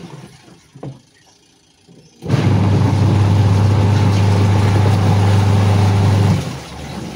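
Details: Sharp EST75MW twin-tub washing machine, final test after gearbox repair (washer previously would not spin): motor starts with a steady, even low hum and runs smoothly for four seconds before winding down; pulsator drive sounds healthy.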